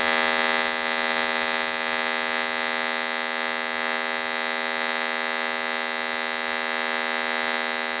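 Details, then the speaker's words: Fronius TransSteel 2200 in pulsed TIG mode, pulse frequency changed from 5.4 to 80: a steady, high buzzing arc with a fast, even pulse, running normally. "it's definitely running a lot different and that's because of the pulses"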